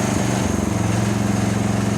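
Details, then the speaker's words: 1977 John Deere 300 riding mower, just off wide-open throttle, no load: steady fast even beat with occasional faint pop, no sputter; owner attributes popping to fueling without load. "Listen, that's a little bit off of high, wide open. It's not sputtered. That's just a fuel issue because there's no load on it."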